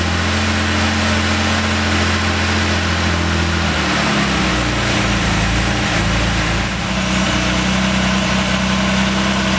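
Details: Series II Jaguar E-Type, first start after engine strip-down to repair a stuck valve, with cams retimed, tensioner adjusted and fluids checked: engine catches and settles into a steady, even low-hum idle with no knocks or misses; normal start and idle.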